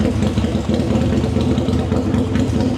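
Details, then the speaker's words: Harley V-Rod on the dyno: deep, loud, lumpy idle with a steady throaty exhaust beat, no knocks or misses. Healthy idle. "That exhaust sounds so good. And I'm even wearing hearing protection."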